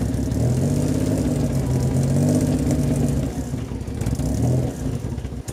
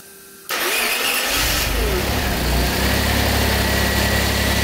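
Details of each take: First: Barn-find Maserati Biturbo 4.24V V6, stored over 15 years, after correcting swapped ignition coil wiring: catches, runs rough, revs sag and sputter before dying within seconds; stalls, owner suspects fuel supply, cause unconfirmed. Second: Maserati Biturbo 4.24V V6 twin-turbo, stored over 15 years in a barn, after mechanical restoration and fuel pressure regulator adjustment; quick crank and catch, then a steady, even idle with no misses or knocks, starts and runs healthy.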